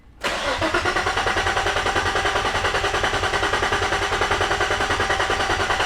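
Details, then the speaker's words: Nissan 350Z, about four gallons added: steady starter cranking about three pulses a second, no firing, no fuel pump hum heard; crank no start from no fuel delivery. "all right guys so the 350z is not starting right now sean only put about four gallons in there but can't hear the fuel pump it doesn't sound like anything"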